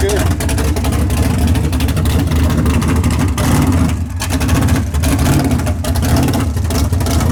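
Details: Big-block engine after a tunnel ram swap, timing locked at 32 degrees, fired up before a transbrake test. Loud, deep, lumpy big-cam idle that stays steady and even with no misfire, sounding way better. This is normal running.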